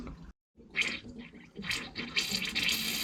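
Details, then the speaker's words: Heating header tank with newly fitted ball valve, water turned back on after overflow repair: after brief pause water rushes and splashes steadily into tank, filling freely; sounds better than before. "Yeah, it should fill the heat in. Sounds a bit better, doesn't it?"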